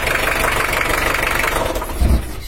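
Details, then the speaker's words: Toyota Hiace LH-11 diesel, injection pump loose on a cracked mounting bracket (weak rear bracket): lumpy, uneven idle with irregular low thumps and a shaky beat, sounding somewhat rough; rough idle from loose injection pump, before repair. "karena ini kocak kalo suaranya sih udah normal tapi karena Inggris nih bocah sehingga power pengapiannya grup Bro bahagia geser bisa kasar bisa halus baik ini agak kasar didik untuk suaranya"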